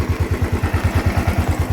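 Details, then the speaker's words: Royal Enfield Thunderbird Twinspark that raced to 5000 rpm with smoke after sitting 10 days and blew the battery fuse, now: no throttle, idle set at 1100 rpm, no smoke, an even steady thump with no hunting. Normal idle. "अभी ये proper ये चल रही है और RPM जो मैंने set कर रखा है 1100 में है कहीं से भी घुमा नहीं निकल रहा है"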